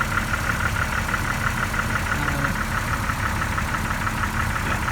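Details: 2002 Jeep Wrangler TJ, second start after bearing replacement, idle heard from underneath: faint uneven tapping over the rumble, roughly every second beat; ticking and exhaust leak gone but knock remains, owner suspects lifter or flex line.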